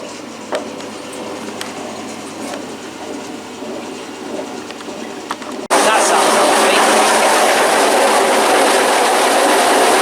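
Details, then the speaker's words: Washing machine during spin: quiet at first, then a sudden loud roar with a fast even rattle about three times a second; excessive spin noise, cause unknown, spin turned off. "sounds wow and what I've just done is turn off the spin I don't know I don't know what's worse the fact it loing like crazy or just completely like destroying itself"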